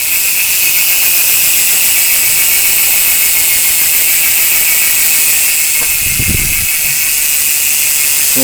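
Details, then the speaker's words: Face Ace 32-hole freehub hub with four bearings, spun fast: the pawls blur into an even, high buzzing hiss with no grinding or catches; hub running healthy. "Kita lihat karena sangat presisi sekali untuk pembentukan bearing, silent bearing. Suara jangkrik nyaring."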